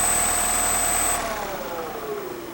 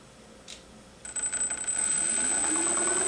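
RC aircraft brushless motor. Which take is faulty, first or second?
second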